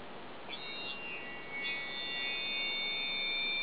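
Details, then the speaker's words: Child's hearing aid fitted with an FM attachment. Thin high whistles come and go, then hold steady: acoustic feedback as air leaks past a poorly sealed ear mould. "that sound, that's what happens when the seal of the mould in his ear isn't sealed properly. If any, it's called feedback. If any air gets in behind there, it will whistle like that."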